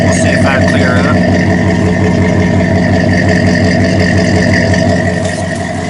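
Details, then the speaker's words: Rebuilt Mopar 360 small-block V8 in a 1997–98 Dodge Ram 2500, after distributor and vacuum line fixes: a smooth idle with a thin, steady high squeal from a slipping accessory belt, plus a little smoke. "go ahead and fire it up you run pretty good oh yeah little squeaky belt no big deal"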